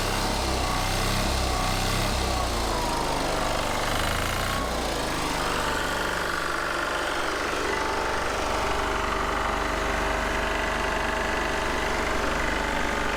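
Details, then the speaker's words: Military Onan MEP-016B 3 kW single-cylinder diesel generator, revived, started outside from cold for warm-up: fires up quickly and settles into a steady, even chugging run with no misses or knocks; normal idle. "rolled it outside we're just gonna start it up real quick and let it run and warm up so see how quick it starts"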